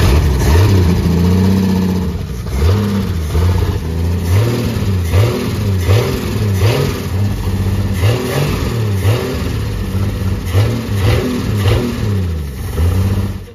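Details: 1952 Ford F1 pickup, 215 OHV inline six, barn find with fuel leak and carburetor needing a new main body: revs up and settles repeatedly with clean, even firing, no misses or stumbles; normal running and revving.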